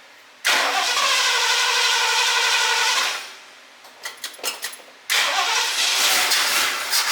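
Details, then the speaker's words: 1978 Lincoln Continental 460 big block stored 15 years, started on fuel poured into the carburettor, fuel line disconnected: catches, runs about two and a half seconds evenly, stops, fires again and settles smoothly; runs like butter. "Listen to it. It's like butter."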